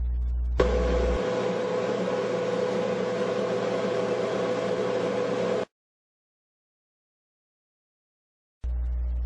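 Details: GE dryer after installing new Teflon drum glides: drum turns with smooth even hum and steady airflow, no thumping, squealing or scraping; normal operation.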